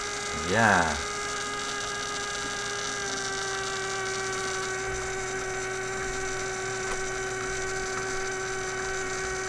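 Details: Heathkit Electronic Projects Kit from 1967, AM transmitter build, powered from a bench supply: constant steady buzzing hum, unchanged across the band and unrelated to tuning. The power supply is injecting mains ripple; the project failed.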